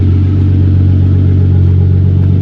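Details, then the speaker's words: Hyundai Genesis Coupe 3.5 L after muffler replacement on a hacked exhaust that was previously very loud: deep, even low drone with no rasp or blowing leak; exhaust now sounds sound and properly quiet. "got a nice little tone to it now I want to take it for a spin cuz I want to make sure it's got the power still oh she sounds good"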